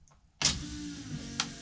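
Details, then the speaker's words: 1991 Chevy S10 with a 5.3 LS swap and 4L60E, fuel pump temporarily wired to the harness: at key on, a steady electric whir starts at once and holds evenly. The fuel pump is priming normally. "if I turn key on right now I do get fuel pump"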